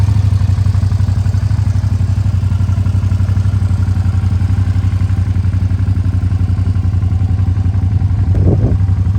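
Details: 2007 Suzuki SV650S K6, 12,669 miles, 4-stroke liquid-cooled fuel-injected V-twin with Leo Vince exhaust: steady even low thump at idle, no misses, ticks or knocks; normal idle.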